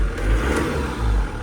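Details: Mitsubishi Delica Space Gear after throttle body cleaning of years of sludge and gasket replacement: brief rev with smooth even rise and fall, no misfire, popping or hesitation; acceleration a little quicker than before, engine healthy.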